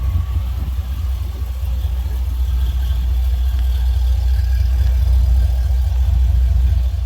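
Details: 2000 Chevy Tahoe after a 6.0 V8 swap with long-tube headers, Y-pipe and a temporary single-chamber muffler: deep, even idle with a loud, raw exhaust note, no knocks, ticks or misses; normal idle.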